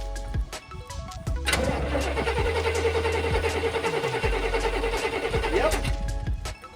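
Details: 1990 Chevy truck: starter cranks steadily at about three and a half turns a second for several seconds and never catches; crank-no-start, later spark check suggests no spark.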